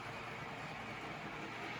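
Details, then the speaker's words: Custom-chassis Tyco Chattanooga model locomotive after fresh oil and grease: a soft, steady motor whir and even gear hum with no rattles. An earlier rubbing noise is gone, and it runs quiet and smooth like new. "i'd say this is running like new it's nice and quiet and stronger smoother more reliable than before"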